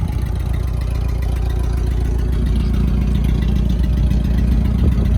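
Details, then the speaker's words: Old Mitsubishi Mighty Max pickup at idle: uneven, lumpy pulse about three beats a second that never settles; owner suspects a burnt valve, as these engines commonly burn valves or jump timing; not confirmed. "I think she's burning a valve."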